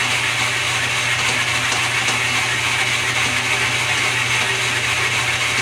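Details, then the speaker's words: Restored lathe with quick-change gearbox, run in direct drive through its speeds after long storage: steady whir with an even gear hum, no knocks or grinding; running healthy, back gears may need adjustment to hold. "I'm going to start it up and run it through its paces our trusty as poor that went speeds with a quick-change gearbox"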